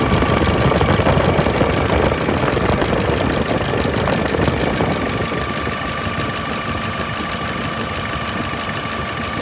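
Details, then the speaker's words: 2015 Veam truck with Nissan 6T5 diesel and stainless box, idling: a steady high squeal like a mouse or cricket over an even idle with no knocking; the noise is named as the truck's main issue; serpentine belt chirp. "âm nha đó kêu ro xất giống như là chuột kêu á dế kêu á đó thì nói chung vấn đề chính của em nó là chỉ có nằm ở đây thôi"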